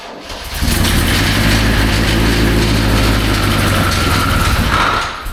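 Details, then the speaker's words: 1966 GMC engine still rattling after a new oil filter, fresh oil and additive: loud, fast, rhythmic knock at idle under a heavy rumble. Owner suspects a loose part on the crank, not lifters. Unconfirmed. "It definitely sounds like, now that I'm actually paying attention to it, that's nothing to do with lifters. I mean, it sort of sounds like it, but it has that sound of a loose bit on the crank just flying around in there."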